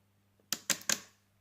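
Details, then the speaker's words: 1967 Chevrolet Camaro RS 572, newly completed relay box tested by powering the relay trigger wire, including the fuel pump relay. Three crisp, quick, clean clicks in under half a second. Normal relay clicking. "alright so they're all working we guess that one is the fuel pump relay on and off that's working"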